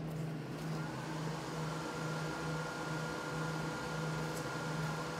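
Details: Prototype Xbox 360 XeDK booting after CPU replacement by BGA rework and recap, running beta startup animation: quiet steady fan whoosh with faint constant whine and soft hum, no grinding or ticking. Normal fan noise.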